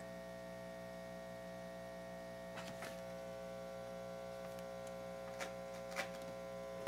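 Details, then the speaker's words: Restored organ tube amplifier, one of two amps: constant low 60 Hz buzz with higher harmonics, unwavering, barely audible at low volume and worse as volume rises; excessive mains hum in that amp, cause not yet found. "both amps do work too much noise in one of them 60 hertz hum"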